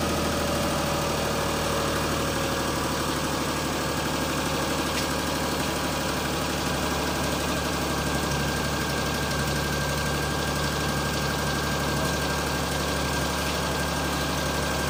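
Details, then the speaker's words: 2003 Perodua Kelisa 1.0, which won't restart when hot, just after fitting HKS-style grounding (bonding) cables; check-engine light still on; engine settles stable immediately after start, steady even low hum with no misses or hunting, normal idle. "Daripada saya start tadi, tengok bila dah start tu engine terus enjin terus stabil. Terus stabil."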